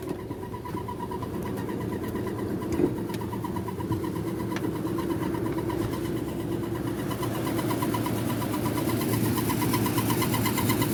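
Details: 2007 Nissan Armada: engine note climbs with throttle and an uneven knocking drone grows louder under acceleration, stopping once off the gas; loud noise under acceleration, source unclear.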